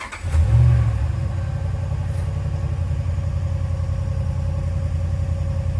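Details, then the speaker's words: 2012 Dodge Ram 1500 Hemi with rebuilt engine, codes cleared after coil swap test: starts, then idles with a low, slightly lumpy, uneven beat; cylinder 6 misfire persists, so not the coil. "No, it's still cylinder six. Okay, still cylinder six. still cylinder six. So, it's not the coil."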